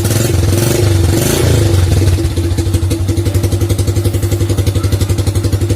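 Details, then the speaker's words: First-generation Honda Supra Fit motorcycle, previously misfiring and hard-starting when hot, after camshaft automatic decompressor repair, warm idle about five minutes: steady even putter, no stumbles; misfire resolved, normal warm idle. "Kondisi mesin udah mulai hangat ya. Kalau untuk blok udah pasti panas. Kalau untuk bagian mesin, bagian kanan kirinya udah mulai hangat. Belum ada masalah."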